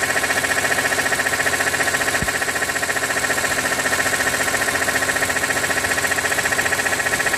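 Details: 2006 BMW E46 M3, 42,600 km, warm idle with oil temperature above 80°C: crisp regular tapping about three per second over a bright metallic hum; abnormal knock of unknown origin, owner wonders if oil pump.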